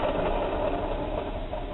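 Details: Failed alternator from an 1982 GMC C20 with a 350 small block, removed and hand-spun on the bench: dry, gritty rattling whir instead of a smooth spin, pointing to worn bearings; its backing plate is loose and has lost its bolts.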